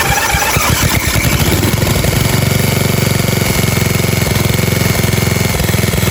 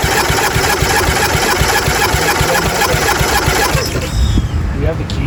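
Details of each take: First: 1997 Murray 30575X31A lawnmower single-cylinder engine, just un-seized and reassembled with two broken head bolts missing and cooling shroud off: catches quickly and settles into a steady, even thrum with no misses or knocks, normal running. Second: 1997 Murray 30575X31A lawnmower, freshly un-seized engine reassembled, spark not rechecked: starter spins it with an uneven chug about four beats a second, never firing; cranks without starting.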